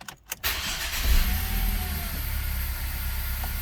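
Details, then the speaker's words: 2012 Ford Focus after engine swap, previously a transmission-related no-crank with the gear indicator unlit, now showing P: brief starter whir, then the engine catches cleanly and settles into a smooth, steady idle; normal crank and start. "It's running."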